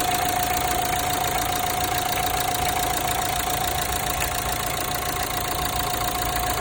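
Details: Renault Megane 3 1.5 dCi diesel at idle; a sharp metallic ticking, about three to four a second, like metal cracking near the accessory belts, worst when starting the engine. Cause unclear.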